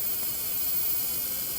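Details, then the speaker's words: RCA CTC16 round-tube vintage TV with substitute flyback, rectifier and shunt tubes out, boost about 660 V against a supposed 975: steady even high-pitched hiss; high-voltage corona around the flyback, ozone to the max. "corona and ozone to the max."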